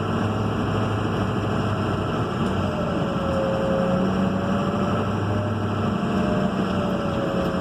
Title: Turbo whine